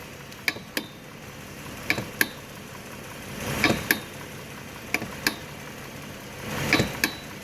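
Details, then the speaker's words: Jeep recorded from underneath after new CV axles and hubs were fitted. Paired sharp clicks a few seconds apart over a quiet hum come from the torn, worn boot on the front driveline CV joint to the transfer case. "It's still making this weird ass noise. And this drive line going back here to the transfer case is a culprit for our noise. It's the torn boot back there."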